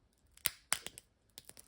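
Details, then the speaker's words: Fuel pump diaphragm from an air-cooled VW 30 PS engine bent by hand: sharp dry cracks like crispbread, rubber gone brittle and finished, attacked by modern fuel additives while the car stands unused. "die knackt wie ein Stück Kneckebrot. die ist hin."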